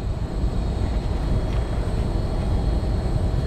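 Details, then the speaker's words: LG Multi V condensing unit on a hot, roughly 90°F day, after earlier replacement of the power board, fan board and condenser fan motor; steady low rumble with soft fan rush, no codes, no knocks or surging. Normal running. "surprising to me it's actually running I can't actually see that there's no codes that's good"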